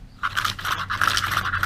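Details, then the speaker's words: 80cc motorized-bicycle engine pull starter after reseating the bushing: quick, even whirring as rope pulls and recoils, spring returning freely without friction; slight noise remains since it has bushings, no bearings; normal pull starter operation. "now we can hear the difference there is no you're always going to hear a little granny because there is no bearings in here"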